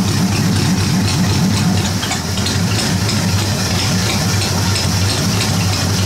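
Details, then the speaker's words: 1953 Ford Golden Jubilee tractor at lowest idle, roughly 350 rpm, just starting to warm: slow, steady, even putter with deep note and no knocks or misses; healthy low idle. "so that's running pretty low there now that's running oh to 350 maybe but as low as she'll go there pretty sweet"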